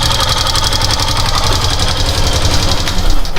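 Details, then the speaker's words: Facto 150 motorcycle idling after the owner adjusted the valves himself: quick, even ticking from the top end over the idle throughout; the rocker arm is knocking from loose valve clearance. "Balancinho está batendo. Só isso. Mais nada."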